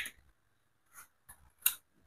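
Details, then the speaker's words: Honda CB150R with a normal battery: pressing the starter gives only a few sharp, uneven clicks and no cranking. The starter motor won't turn, traced to worn starter brushes. "kita coba pencet untuk starternya suaranya itu cetek-cetek saja Bro kedengeran ya untuk suaranya"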